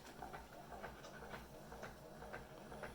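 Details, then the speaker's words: Keurig brewer that only dribbled water, after clearing coffee grounds with a paperclip: quick regular pulsing buzz about twice a second, pump running much faster than before; normal pump operation. "You hear the pump running much faster than it was, and there we go."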